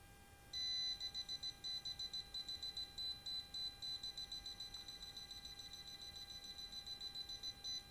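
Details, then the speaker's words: Non-contact voltage tester tracing a water pump cable with the plug reversed: quick, steady high beeps, about three or four a second, sounding only as far as the point where the cable is broken inside, which stops the pump running. "sampai sini aja akan bunyi karena mendeteksi kabel yang pas saja karena sering kejadian putus kabel didalam"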